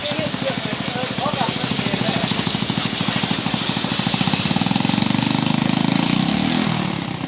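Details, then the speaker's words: Motorbike sprayed with water: uneven popping idle with irregular stumbles and jerking; misfire traced to an oxidized connector that makes it jerk when wet, fixed by cleaning and crimping the connector tighter. "Đấy là mình thấy nó cà giật ở chỗ này này. Mình đẩy lại mấy phát thì nó được rồi. Đó. Nguyên nhân là do nó bị oxy hóa cái rắc này, nếu mà có một ít nước xuống là nó sẽ bị cà giật."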